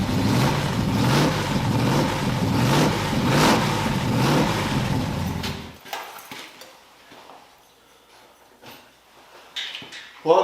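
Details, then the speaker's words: Small-block-swapped 1981 Oldsmobile Cutlass Supreme with new headers, battery cables and alternator. About five seconds of harsh, rhythmic grinding from the starter while cranking. "back to the burrito supreme where we are going to try and figure out why the Cutlass is making that noise and not angry engine noises instead"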